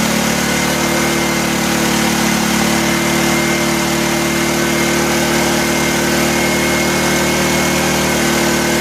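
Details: 1984 Honda EM600 generator on a cold start holds a steady, high-pitched drone with no hunting or dip, running too fast. A governor or throttle issue is suspected; the fine-tune adjuster knob did little.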